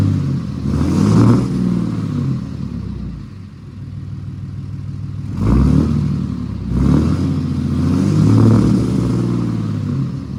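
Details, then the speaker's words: 2008 Ram 2500 6.7 Cummins diesel after replacing the failed turbo VGT actuator, recorded from the back of the truck: deep steady idle rising smoothly through two revs and settling, with no whistle or rattle. A clear improvement. "Alright, well, I'm sure you guys could tell there was a pretty clear difference there. Now it doesn't whistle at idle like the factory ones do."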